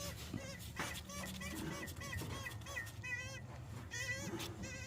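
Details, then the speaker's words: Removed water pump from a Honda 3.0/3.5L V6 (Accord/Odyssey) during timing belt job, turned by hand, giving high bleating squeaks in uneven bursts from a worn bearing; replaced with a new pump and gasket. "With that sound, when this vehicle's running, that'll be annoying. So this is a really bad water pump."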